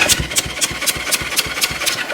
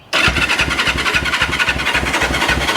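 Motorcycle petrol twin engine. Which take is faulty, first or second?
second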